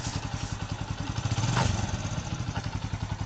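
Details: Bajaj CT 125 motorcycle after engine overhaul and cleaning a filter clogged as if run on diesel: steady even single-cylinder putter with a brief smooth rev, no knocks or rattles; quiet, normal running.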